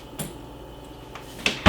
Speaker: no squeak squeak free you hear that that's all you need